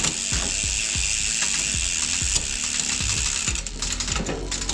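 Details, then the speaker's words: Enduro mountain bike rear hub after a full service, wheel refitted and brake bled: fast, even, crisp ratcheting freehub clicks with no grinding or skipping; hub sounds healthy, almost perfect. "Oh, the hub sounds good. almost perfect."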